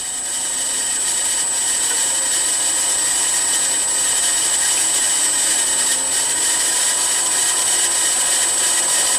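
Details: Milling machine M head after new pulley-housing bearings, VFD at 45 Hz on highest pulley speed: steady even run with thin high whine and faint motor hum, no knocking or grinding; spindle housing healthy, slight motor noise remains.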